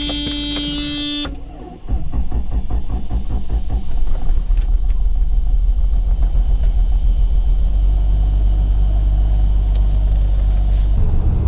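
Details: Mercedes revived after sitting, on a jump from another car because of a parasitic draw, after brake hose replacement: a short crank, then it catches and settles into a steady, even low rumble at idle. Normal idle.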